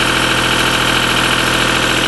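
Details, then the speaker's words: Deutz diesel engine driving a Lima generator, first start-up after repair, at about 1,850 rpm: smooth unbroken drone with no knocks, misses or hunting. Owner calls it a runner. Normal running. "There it is. It's a runner."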